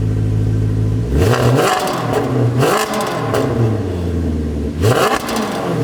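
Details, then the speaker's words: Maserati Quattroporte V8 after repair: it starts and revs in clean, even sweeps, settling to a smooth idle with no misfire, unlike before; cam timing changes on a drive are still unverified. "then I think we've done it that is sounding beautiful and no misfire and you can really listen to that now very very very different to before cannot explain how happy I am right now"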